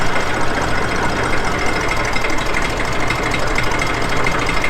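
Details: Massey Ferguson 35X tractor, cold start: steady diesel clatter at a fast idle with even, regular firing and no misfires or hunting; normal idle.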